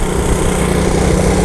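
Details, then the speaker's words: 1977 Honda ATC 90 three-wheeler, 90cc two-stroke, started after sitting unused for years, riding through first to third gear: steady, even buzzing engine note without misses, knocks or stumbles, no smoke; fires right up and runs like a champion. "you know the nice thing about an old Honda three-wheeler if you let it sit for years fires right up runs like a champion"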